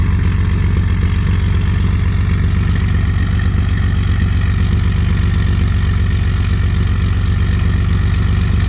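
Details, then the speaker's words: 1974 Ford F100 4x4, 300ci inline-six, automatic, cold at 31°F, coolant 58°: loud deep cold idle with fast even top-end ticking, cam audible while cold; valvetrain noise at cold idle, should quiet when warm. "You really hear the cam right now that it's cold."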